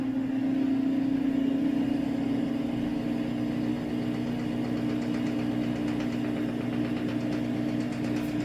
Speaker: Alright, filled up spray rinse number 1. Hear all that gurgling. Oh goodness. Yeah, it made that sound ever since I first ran it.